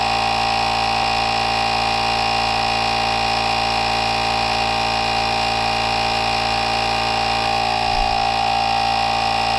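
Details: NovSight G5 jump starter's tire inflator pumping a tire from 8 PSI to a 40 PSI set point, cooling fan drawing air: steady compressor chatter with even pumping rhythm and fan hum, no stumbles or strain; reached 40 in about 18 seconds.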